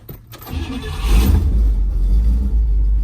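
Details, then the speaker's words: 1958 Pontiac Bonneville Sport Coupe, original survivor, 370ci V8 with factory Tri-Power: short crank, then it catches at once and settles into a strong, even low rumble, starting right up and running healthy. A slight under-hood rattle is noted elsewhere. "Car starts right up. Runs really good. Sounds good."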